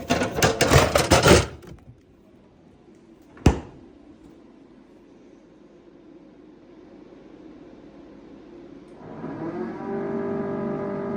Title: Whirlpool Refrigerator Loud Humming Noise